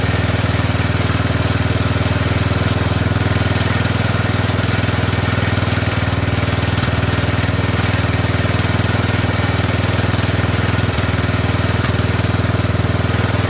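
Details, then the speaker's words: Poulan 12538 XT riding mower, 12.5 hp single-cylinder, 38-inch deck, after new carburetor fitted (old one leaked gas into crankcase): steady putter about four beats a second, even, no misses; oil burning off muffler; normal idle. "Uh it's burning all that stuff off the muffler though from where the where the oil built built up on it. Okay. It looks like it's okay for now."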